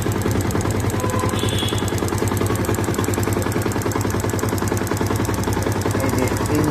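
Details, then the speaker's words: Yamaha FZS FI motorcycle at idle: a fast, steady ticking of about three or four per second from the engine area. Others blamed valves or the fuel injector; the actual source is the auto choke. "এখান থেকে আওয়াজটা আসতেছে tick tick tick tick tick tick করে।"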